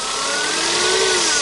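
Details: 2005 Toyota Spasio, 166k km, warm, bonnet open, light throttle; thin steady whine from the engine front climbing slightly with revs, not the timing chain. Worn alternator bearing, not critical; at worst charging and air-conditioning would be lost.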